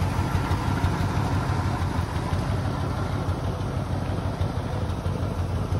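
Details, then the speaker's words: 1972 Ford F100 V8 after brake work: low, even idle rumble with steady beat and no knocks, misses or stumbles; idles smoothly. "i've got it running right now i mean you can hear how smooth this thing runs it's crazy"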